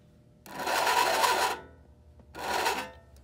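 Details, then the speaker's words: American Flyer whistling billboard powered from a transformer before repair: two short, breathy whistle bursts that never build to a clear tone, like a sluggish motor struggling to spin up, likened to a car with a low battery starting. "that sounds like a car with a low battery starting up if you've heard that before if we know what i'm talking about it is not supposed to sound like that"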